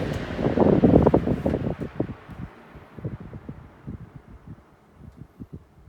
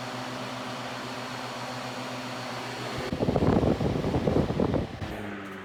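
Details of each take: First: Vintage Mimar model 425 fan, warmed up after about 20 minutes, spinning down from low: soft whoosh fades while even ticking slows from about three per second as the heavy hub coasts down; healthy. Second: Vintage Mimar 425 fan, reassembled with rear felts cleaned and oiled, running on high: steady hum with faint uneven rattle, then a burst of clattering, even with grills firmly attached; rattle source not found.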